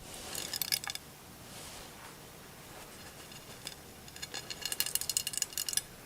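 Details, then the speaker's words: Golf club shaken next to the mic in a simulated bad big-box shaft change: two short bursts of light, tinny ticking rattle, each under a second; loose debris rattling inside the shaft. "Okay, so you hear a rattle. All right, and it's not a rattle it's a rattle in the shaft."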